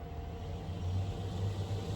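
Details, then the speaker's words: Newly installed replacement 4-speed roof vent fan in solar-powered DIY camper van, turned up from low: soft even whoosh with faint steady hum, no rattle or scrape; normal fan running. "And it's running right now. You can't even hear it. Like I can't even hear it running. I'll turn it up. You can hear it a bit now."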